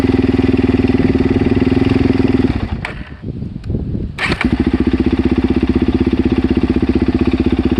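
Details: Suzuki DR-Z400S at idle just after replacing the cam chain and cam chain guides: single-cylinder thump about four times a second with a sharp tick on each beat; source of the top-end ticking not found.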